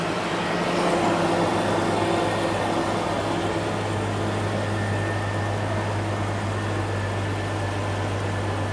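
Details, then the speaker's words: Jeep XJ running after a tune-up (plug wires reseated) that followed fuel pressure, compression and smoke tests; smooth, even engine drone with steady low note, no stumble or miss, much better than the earlier miss and sputter. "all right we're grounded everything looks good let's start her over and see how she [Music] sounds yeah hey lot better"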